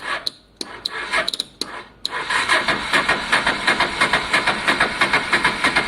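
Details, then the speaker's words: Honda Deauville motorcycle, first start after carb clean, weak battery, fuel pump suspect: a few clicks then slow, heavy cranking about three beats a second without firing; owner suspects starter is jammy from sitting, oil change may help. "I think the starter motor's a bit jammy because it's been a while. But this kind of helps loosen it up really."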